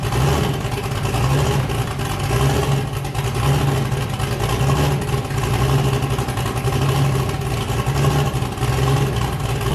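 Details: Boosted car "James Brown", freshly started with a new cam after a 23 psi pull blew a coupler off: deep, loping idle with a steady choppy rhythm, no misses or knocks. Normal lumpy cam idle, engine sounding good.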